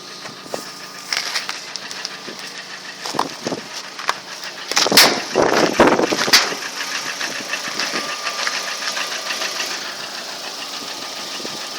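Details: Lada Priora engine one year later, only oil changed: sharp, irregular metallic knocks over a quiet idle; unexplained engine knock, source unknown.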